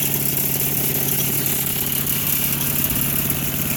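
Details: Craftsman 4 HP wood chipper/shredder single-cylinder engine with a new China carburetor, warming up: steady, even idle with a brisk putter and no misses or surging; runs healthy, normal idle.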